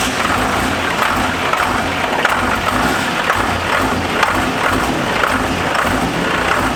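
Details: Diesel truck, first start after installing a compound turbo system including a BorgWarner S475, and after doing the injectors; loud, steady clatter settling into an even idle with no misses or knocks. One leak spotted afterward. Normal idle.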